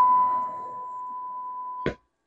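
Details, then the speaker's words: Seeburg Model 220 jukebox tube amplifier after recapping, signal-generator tone into the second channel, speaker facing the microphone so louder: clean steady mid-pitch tone about two seconds, no hum, crackle or distortion; channel reproduces properly. "Now that speaker's facing towards me, so it's a lot louder."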